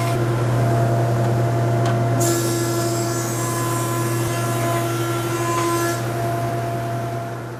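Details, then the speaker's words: Jet JP20 (208HH) 20-inch helical-head planer, about one year old, running with no load: steady even hum, low drone plus bright whir from spinning head, no knocks; healthy. "It's got a magnetic power switch, which is a nice safety feature on planers. Have a listen to the no-load sound of the motor."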